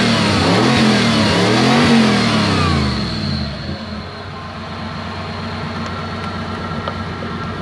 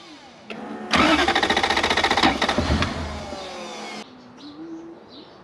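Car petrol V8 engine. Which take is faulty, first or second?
second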